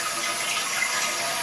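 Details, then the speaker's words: Whistling toilet fill valve in an early low-flow toilet: steady hiss of tank refilling with a thin whistle of air through the hole in the failing fill valve instead of a whoosh; flush weak, tank won't fill. "and I hope you can hear that that Whistling noise it should be more of a whoosh noise as water goes in to fill it um but what it is is a whistle of air going through the hole in the fill valve"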